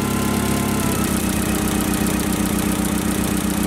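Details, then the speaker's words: CAT forklift engine with cold hard-starting complaint, idling after water sprayed on the plug boot: lumpy, uneven idle stumbling about four times a second, misfire from high voltage leaking at the wet spark plug boot. "Yep, and you can definitely hear the misfire right now. And that will certainly cause a hard starting for you, especially when it's cold, because you need a higher KV."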